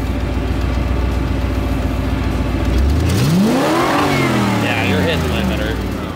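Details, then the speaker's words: Ford Bronco on its first drive after a Holley Sniper EFI install, wide-open throttle on grass: it sweeps up hard, then the pitch falls away sharply near the top. Suspected rev-limiter cut rather than timing ping; timing may go back to 34. "I think you are hitting limiter though cuz if it was if it was pinging because of timing I feel like it would be happening all the way through"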